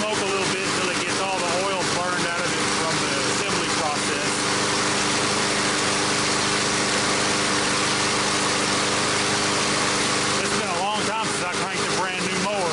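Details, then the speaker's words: Brand-new Briggs & Stratton 500 mower engine that would not start. About 10 minutes after a smoky cold start it runs with a steady, even chatter, no misses or knocks; healthy. "it's been about 10 minutes the smoke has cleared this mower is ready to go back in service"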